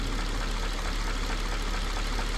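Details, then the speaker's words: Mercedes-Benz W220 S430/S500 V8 during an oil change with engine restoration treatment: steady low idle with a faint repeating knock riding through it, unchanged; potential knocking noise at idle, cause unknown. "I can still hear that noise. And again, it's not a testament to whether the product is working."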